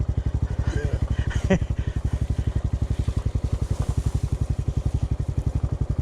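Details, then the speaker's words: Honda CT125 on an uphill trail ride: single-cylinder thumping about four beats a second under light throttle with some roughness; rider fears it is about to seize and suspects the cylinder, piston, or rod, unconfirmed. "damn it that loses my confidence and i think something's terribly wrong i don't know it almost sounds like it's about to seize"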